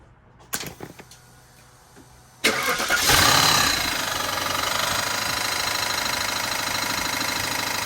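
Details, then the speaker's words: Audi D2 S8, first start in about a year after a 2020 crash, serpentine belt off: cranks, catches, fast idle with light rhythmic scuffing that stays with the belt off; crank pulley interfering with something. "I have the shirt belt off but it was still making that noise with the belt off"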